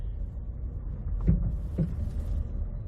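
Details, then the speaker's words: Loud metal-on-metal clunk up front, heard mostly on the passenger side and worst when turning into a parking spot: two dull low clunks over a quiet idle. Suspension parts are new; suspected dry or loose stabilizer bar end links, not a steering rack. "so it's that kind of noise where it's a loud clunky noise up front sounds like metal on metal listen and I'm really Hearing in the passenger side a little bit on this side"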